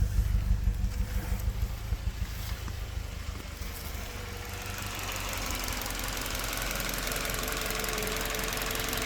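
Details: Toyota Verso 1.8 2ZR-FAE Valvematic with LPG, 180,000 km: uneven, stumbling idle with a loose knocking beat, then a rough hum. Cylinder 4 misfires occasionally; compression about 13 bar, plugs, coils and injectors fine, no codes; cause not found.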